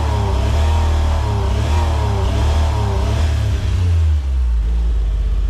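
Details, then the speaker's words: Autozam AZ-1 (Suzuki Cara), cold engine, throttle body hose off so no boost, after new fuel rail and pressure regulator: repeated blips each flatten at the same ceiling; runs slightly smoother but won't rev past about 4000 rpm. "I'm just gonna rev it. Interesting. It only gets to 4 now."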